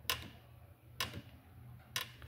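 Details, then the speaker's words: Honda Civic G9 1.8 16V: sharp creaks about once a second as the car body is rocked, quiet between. The rear suspension creaks over dips because the rear bushings are worn and split; both bushings are to be replaced. "Então na hora que você passa com o veículo, ó. Na hora que você passa com o veículo nas depressão, ele começa a estralar, tá?"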